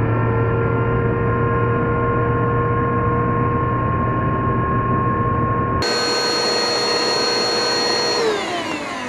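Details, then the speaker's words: Bissell PowerForce Helix Turbo 2190 curb find: a harsh, gritty-whirring motor that whines down as it stops, still with plenty of suction; the motor bearings are badly worn. "so that motor is still got some life in it but oh the bearings are so bad"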